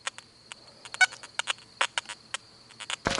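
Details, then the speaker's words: Makro Racer 2 metal detector held up in the air with gain maxed out, producing irregular crackling chatter blips over a thin steady high tone; false signals from maximum sensitivity, unlike the quiet Nokta Fors Core. "Now I'm holding the Racer up in the air, maxed out for the gain. Hear it chattering."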